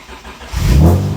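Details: J-series-swapped Acura TSX race car with new unequal-length exhaust, first start after a bad fuse was found: short crank, then it catches and flares with a rising roar and runs on its own.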